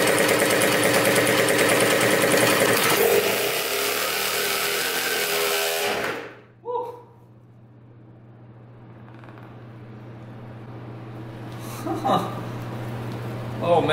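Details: 2000 Cobra 50cc two-stroke racing mini dirt bike after fuel was poured down the carburetor: high, sustained buzzy scream held flat out about six seconds, apparently at full throttle, then abrupt cut-off; running strong.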